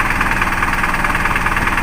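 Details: Isuzu 4HL1 diesel with hard starting and frequent stalling (feed pump already replaced), after the repair, with the relief valve discussed: even, steady diesel clatter at idle with no misses or changes in rhythm. Idling normally.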